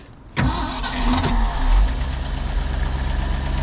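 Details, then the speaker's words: 1971 Ford F600 manual U-Haul box truck from a hoarding lot: it catches first try, revs briefly, then settles into a steady, even idle with no knocks or misses, sounding healthy. "Sounds good, doesn't it? Yeah. All right, let it rest."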